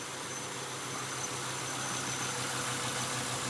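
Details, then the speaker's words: 1996 Acura TL 2.5L idling with an uneven, lumpy misfire on cylinder one (P0301); cause found as a leaking, shorting distributor cap. "all right 96 Acura TL 2.5 liter it's got a misfire number one cylinder"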